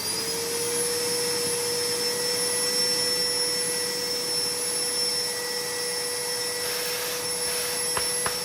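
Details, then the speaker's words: Numatic Henry HVR200 vacuum after homemade motor brushes were fitted: a steady high whine with a hollow airy rush. Possibly a cooked winding, and suction is weak. "It doesn't have great suction."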